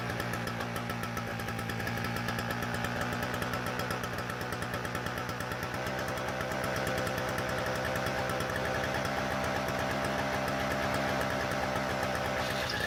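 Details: Toro CCR2000 single-stage snowblower, 4.5 hp Suzuki two-stroke on 50:1 mix with a Mikuni carb, after cleaning the bowl and main jet with brake cleaner: catches and keeps running with a fast, fairly even buzz.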